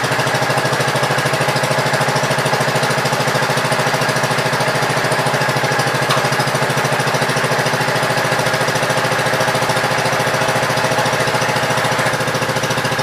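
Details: Gravely Pro 12 single-cylinder after cylinder head refitted, choke on, just above idle: steady chug roughly 200 beats a minute, even pace; engine runs cleanly.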